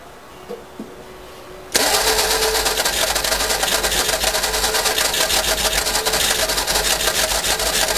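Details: Cranking and attempted start of a 1952 Fordson E83W pickup fitted with a 100E engine, sitting since 1982 and seized, freed of two stuck pistons and two stuck valves; quiet, then loud fast rough clatter about three beats a second.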